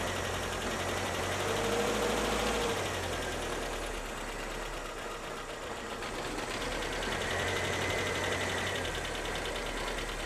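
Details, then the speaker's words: 1985 Ford Corcel with CHT engine, awaiting restoration, quiet smooth idle with a soft even hum and no knocks or misses; engine running clean and round, normal idle. "O motor CHT funcionando bem, redondinho. E tá redondinho o motor, né?"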